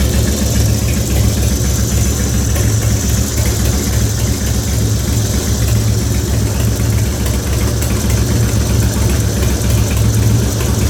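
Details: 2004 Harley-Davidson FXST Softail, almost 10k on the engine and ridden hard, began ticking after a fluid change, running HD Syn3. Loping V-twin idle with a light, steady tick over the exhaust thump; source unclear.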